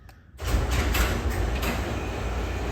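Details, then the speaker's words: Garage door opener after replacing the safety sensors, closing in bright sun that previously stopped it: a low, even rumble as the door runs down smoothly without stopping or reversing. This is a normal garage door close. "the sun's shining really bright into the garage i'm going to press the button on the remote and you can see it now closes without issue"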